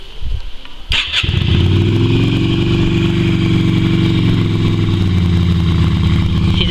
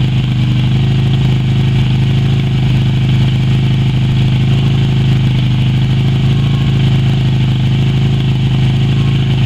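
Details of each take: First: Yamaha Virago XV250 twin after six years in storage, black fuel in its tank, fed from a spare tank with fuel squirted into the air cleaner to prime: after cranking it catches and runs loud, uneven and lumpy at idle. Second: Yamaha Virago XV250 V-twin revived after 6 years in storage, black old fuel replaced with fresh fuel and power restored: steady, even low thrum with no knocks or misses, settling into a smooth idle; normal, healthy idle.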